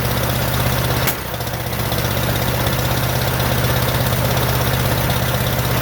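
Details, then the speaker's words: 1947 Farmall M tractor, first start after rebuild: low lumpy idle, uneven pulses two to three a second, labouring beat; running on only two cylinders, popping from carburetor, no power; later found plug wires reversed, fixed. "I still can't seem to get it it's only running on my two cylinders that I cannot figure out there's also a lot of popping coming out of the carburetor"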